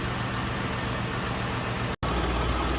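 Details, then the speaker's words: 2006 GMC Sierra 1500 4x4, 5.3 V8, after head gasket failure (coolant in cylinder 5, hydraulic lock) repair, first start; steady even idle, slight exhaust leak at flange, owner hears a spark jumping, suspects loose plug wire. "it seems to be running fine you can hear a spark jumping i wonder if one of my plug wires isn't on all the way"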